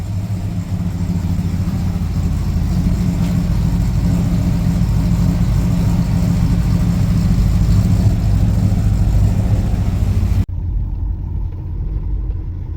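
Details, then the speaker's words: Ford Falcon XD with a 351 V8 and carburetor, just restarted: a lumpy, uneven idle with revs hunting up and down; the owner suspects a vacuum leak. "Running super rough now. The rubs are all over the place."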